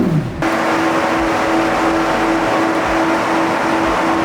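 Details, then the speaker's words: Rebuilt McLaren 720S, straight downpipe with restrictive cats, free revs: a smooth, steady high rev with no knocks or rattles, quieter than expected. Normal free revving. "It is so much quieter than I thought it was going to be, even with a straight downpipe dump. These cats are quite restrictive."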